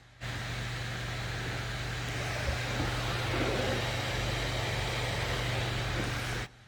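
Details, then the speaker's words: MSI GE76 Raider 11UH gaming laptop (i9-11980HK, RTX 3080) left idle for half an hour with nothing running: fans spin up to a loud, steady rushing whoosh with a low hum; loud fan noise at idle. "the thing is what isn't livable with is the bracket that this thing puts out even when there's nothing happening it's doing nothing"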